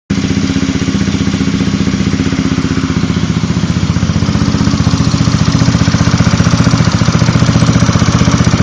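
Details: Zuma 125 scooter at idle: quick, even ticking about four per second from the fan area or just behind it. The owner suspects the lightweight fan or the cam chain tensioner and plans to reset the tensioner to check.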